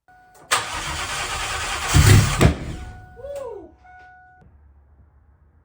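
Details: Ford Cobra V8: two seconds of churning starter that never catches, then only a chime; engine spins but no spark because the ignition coil has no power, battery about 12.1 volts.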